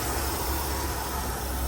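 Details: 1985 Ford F-150 engine idling after the block was degreased and cleaned: deep, steady low rumble with an even beat, no misfire or knock, idling smoothly.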